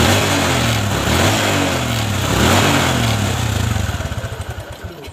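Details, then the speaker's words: Honda Supra 125 carburetted engine, cold: it revs unevenly, stumbling and coughing as the throttle opens high before dying back; it runs normally once warm. A lean or flat spot on acceleration is suspected, not confirmed. "Tetapi kalau sudah mesin panas, motornya normal, tidak ada permasalahan, tidak ada kendala, ya. Tetapi kalau mesin dingin dan posisi mau gas tinggi itu terkadang itu telat."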